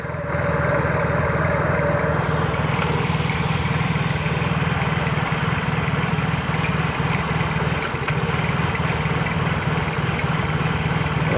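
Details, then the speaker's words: Yamaha Mio J scooter after throttle body cleaning, idle speed control (ISC) not yet reset: fast steady chug drifting up and down at idle; hunting idle from unreset idle speed control. "bro, untuk transformernya jelas ya, naik turun itu tanpa di reset ya bro."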